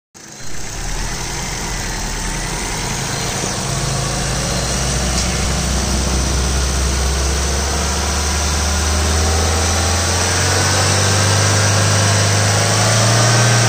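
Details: 2011 Ford Figo petrol engine running: steady drone slowly climbing with a faint whirring note that rises with revs; abnormal engine noise, cause unclear.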